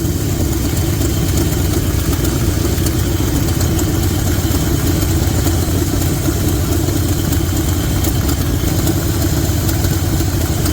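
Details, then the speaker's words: 1972 Chevy C20 V8 with HEI ignition after cleaning a plug and regapping from 0.035 to 0.045 in, compression somewhat low: deep steady burble with even rhythm, no stumble; smooth idle after misfire fix. "but she's definitely running a lot smoother than she was, so we'll uh we'll we'll keep diving in and and playing with her and see what we"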